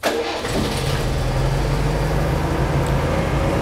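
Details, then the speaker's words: 1969 Citroën DS with clutch in: brief crank catches almost instantly, then settles into a steady, even idle with no misses or knocks; easy start shows ignition is in order, engine runs well, only suspension issues. "it starts really easy that tells me that the ignition system everything's in order it runs it runs really well"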